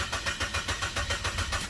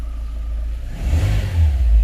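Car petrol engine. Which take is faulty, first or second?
first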